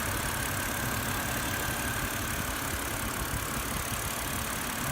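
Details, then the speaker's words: BMW X3 petrol engine at idle after adding Lucas Oil Stabilizer: smooth, even idle with no top-end lifter ticking; loud ticking was present before the treatment. "what it's supposed to sound like and that ticking noise was without putting the lucas oil stabilizer"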